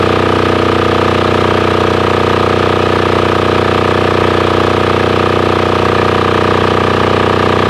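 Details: Formerly non-running Titan 7500 W diesel generator revived after cleaning, started on a weak jumper box using compression release: steady even diesel thump about three beats a second with constant hum, no misses or knocks; normal running.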